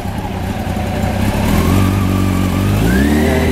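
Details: 1993 Honda CBR900RR, out of museum storage, started cold with choke then choke off, stock exhaust: steady even beat that picks up slightly and stays smooth without choke; normal cold idle.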